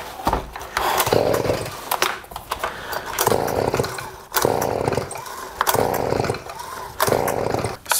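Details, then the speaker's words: Flooded leaf blower pulled with throttle wide open and choke off: repeated rope pulls about once a second, each a short churning turnover that doesn't catch, until it starts to sputter and unflood. "So what you want to do is keep pulling until you hear it starting to sputter."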